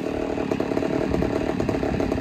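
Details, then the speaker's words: Poulan 245A chainsaw, ported, first start: rough uneven two-stroke idle that surges and sags, starving for fuel; running a little lean at idle on the low jet, still needs tuning. Lean running at idle. "still need to do some tuning but uh she's a little lean you hear it starving"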